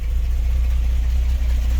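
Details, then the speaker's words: 1963 GMC K1000 4x4 at idle: fast, even puffing tick over a low steady idle; a blown exhaust gasket, not valve clatter. "fix this exhaust leak that's all that racket you hear it ain't the valve's clattering this uh exhaust gasket is blown out"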